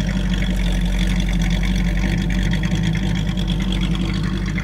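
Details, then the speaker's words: Buick with a 400 small block V8, roller cam and roller lifters, about 10:1 compression, described as very cold-blooded, idling with a deep, even, lopey rumble and no knocks or misses; normal idle. "thing it's got a 400 small block in it with a a cam and roller roller lifters roller cam uh it's like 10 to one it sounds pretty healthy it's super cold blooded"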